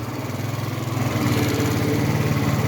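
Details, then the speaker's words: 50cc moped after a battery replacement, restarted cold after stalling once: the small engine putters in a quick, even beat that builds slightly as it warms, no stumbles or rattles. Running normally. "Fire right back up. You see it, baby. Dead bikes back to life, y'all."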